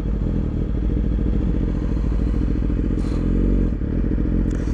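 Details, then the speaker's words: 2017 Yamaha R6 with smog block-off plates, aftermarket O2 sensor and Dynojet AutoTune, code P0030: idle breathing lumpy with small dips before AutoTune intervenes after 60-second delay. "can hear breathing funny the auto turn is delayed by 60 seconds so after 60 seconds you'll hear this bike or you will hear the auto tune intervene in the idle"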